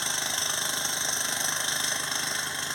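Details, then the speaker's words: Seat Alhambra (VW Sharan/Ford Galaxy type) with P0016 cam/crank correlation code and a deteriorated timing belt: hard, uneven clatter about twice a second over a thin, rough idle; rough running with mechanical noise, switched off. "actually ran I switched it off because it was making a lot of noises but it did run"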